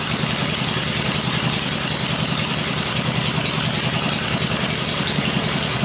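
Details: Rebuilt 96-inch V-twin with Edelbrock heads on an engine stand during break-in cycling, 40 psi oil pressure: loud, busy, steady fast idle with even loping beat, no knocks or rattles; normal running.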